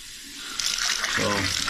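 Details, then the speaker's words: Drains after snaking a clogged toilet line on a shared stack (toilet, sink, tub) and rebuilding the flange with a waxless seal: steady rushing, gurgling water heard below, no backing up; drains running freely, leak into ceiling stopped. "so this is where all the leak was originally coming from and you see the water's running you can even hear it and it has stopped leaking"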